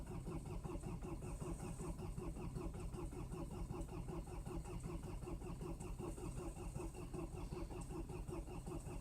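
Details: Mercedes diesel at -20 °C: steady labouring starter rhythm churns on without the diesel catching cleanly; hard cold start, prolonged cranking.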